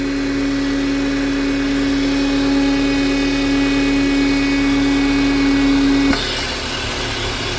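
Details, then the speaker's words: Renault Oroch/Duster engine idling with the old original PCV valve, which is faulty: steady pure whistle over the idle from intake vacuum that stops abruptly near the end while the engine keeps running. "de esta manera suena con la válvula vieja la original que está mala"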